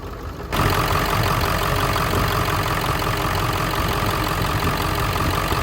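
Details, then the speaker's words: Ford 7.3 diesel Super Duty after injector O-ring replacement, first run in a year: starts abruptly, settles into lumpy uneven clatter at idle, a little smoky; running rough. "Little rough, little smoky. When it started, this is the first time this truck has run in a year."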